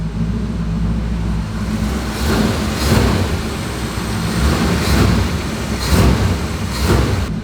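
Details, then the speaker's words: Aunt's 1965 Chevy Impala V8, unregistered since 2010 and off the road over 10 years, now starting much easier: deep idle with about six quick throttle blips rising and falling cleanly; revs freely and runs fine. "you guys actually have heard this run if you watched previous videos but look it starts up way easier now check it"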